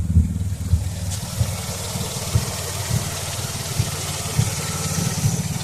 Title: 2004 Chrysler Crossfire OBDII Readings with Rough Idle